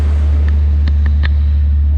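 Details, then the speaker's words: Nissan 300ZX first start after about five to six months of winter storage, oil primed before starting: cold fast idle at about 1500 rpm, oil pressure 75, fuel pressure 41, deep steady even rumble with a few light clicks; normal cold fast idle. "granted you should not start a car in a clothes space but RPM's good uh 1500 it's been sitting a while"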